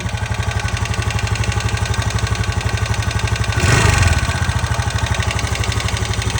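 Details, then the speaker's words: 2025 TVS Jupiter 110 (113cc, OBD2B) just started at idle, with quick regular ticking about four a second over the steady idle. Owner suspects a loose tappet, a common issue on this model fixed at service centres. "तो देखा guys आपने notice किया इसके engine से kit kit kit kit kit kit kit kit kit kit kit sound आ रहा है।"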